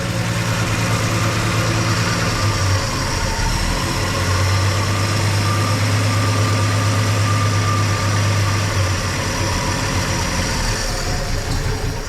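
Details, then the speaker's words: 1963 Plymouth Valiant running after sitting 18 years, oil popping from the old exhaust: steady low idle with an even beat of about three per second, no knocks or misses; sounds good. "not one bit all right well it sounds good"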